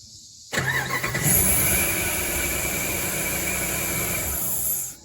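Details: 2006 Dodge Ram 1500 Mega Cab, new fuel pump didn't fix it: the engine catches, runs rough about four seconds, then stalls. The owner suspects a coil or a worn-through wire, as sparking is heard somewhere; cause unconfirmed.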